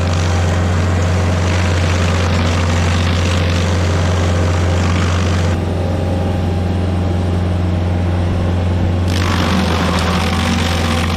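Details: Stump grinder with freshly rebuilt engine, first job grinding a willow stump: deep steady drone holding speed under grinding load without surging or knocking; oil on heat shield later burnt off; normal running under load.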